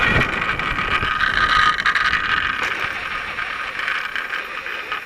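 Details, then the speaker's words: Rebuilt solar electric bike on its first test ride, still needing oil. A jingling metallic ping and scrape repeats unevenly, about three times per second, like metal dragging on the ground, possibly from something on the left side. "strange sound the strange metal pinging sound what's that sound"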